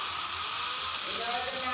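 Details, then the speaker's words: Angle grinder running with harsh, gritty high whine, heavy shaking and knocking rattle from a failed bearing, repaired by replacing the bearing. "তো দেখতে পাচ্ছেন গ্যালেন্ডারটি বেশি ঝাঁকানো হচ্ছে, শব্দ হচ্ছে, ঘট ঘট শব্দ করছে।"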